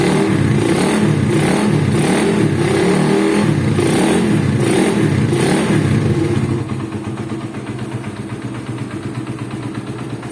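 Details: Suzuki Satria FU engine after repair of a rough-running engine that had ticking at the head, clutch housing rattle, hum and rumble: now runs smooth and even, revving cleanly with no knocking or rattling.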